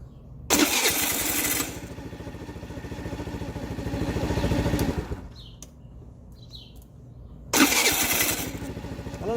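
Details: TaoTao 50cc scooter, kickstarter replaced: short bursts of starter whirring that rise and fall unevenly without catching firmly; owner suspects a Bendix starter drive slipping intermittently, not confirmed.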